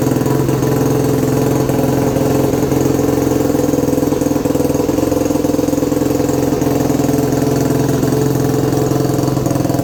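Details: 2021 Yamaha YFZ450R SE right after installing a Pro Design intake kit, stock pipe still fitted: steady, even single-cylinder idle with a regular quick thump and no misses, knocks or rattles; sounds healthy.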